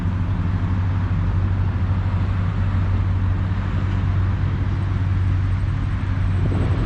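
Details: 1966 Ford Galaxie 500 convertible 352 V8 after carb rebuild and fast idle reset to 1250 rpm, driving: deep even burble holding steady note on the road, no knocks or misses; running sweet.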